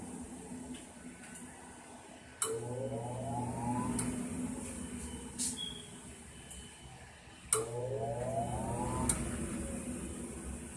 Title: Furnace is making this noise instead of turning on